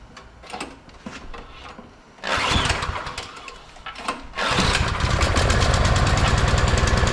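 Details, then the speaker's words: 22-inch MTD Yard Machine snowblower, about 5 hp 179 cc electric-start engine, neglected, only runs on choke: several cranking attempts, then it catches and runs with a faintly hunting beat; surging from clogged carburetor main jet. "The problem was it would only run on choke and it was surging."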